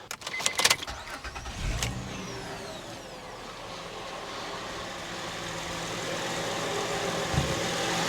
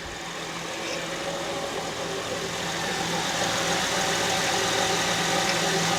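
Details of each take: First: 2006 Honda Ridgeline after topping up low power steering fluid, with the rack and pinion still leaking slightly: a few clicks, a quick start, then a steady even idle with the earlier startup whine gone. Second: 2006 Honda Ridgeline at idle after start-up, in the engine bay: steady whine that does not sound like a belt, from the power steering pump with low fluid.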